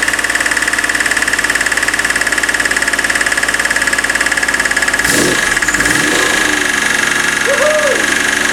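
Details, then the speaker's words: BMW E36 M3 Evo S50B32 on a test stand, first start on factory ECU; light steady tap about three times a second under even idle, like a bottom-end knock; suspected S50B30 windage tray (used with S50B30 sump) contacting the crankshaft. "got a bit of a tap in it bit of a sounds like a a light uh bottom end knock but I don't think it is um suspect it might be the uh 3 l the s50 B30 windage tray which I've used cuz I'm using the s50 B30 sump"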